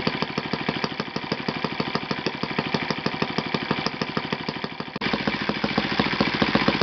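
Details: Yamada (Futaba) YS F 120 four-stroke glow engine on a test stand after a full rebuild (combustion chamber buildup, piston and ring problems), Yamada No. 4 plug: even regular beat, about two firings a second, settling and stepping up smoothly, no misses; normal running.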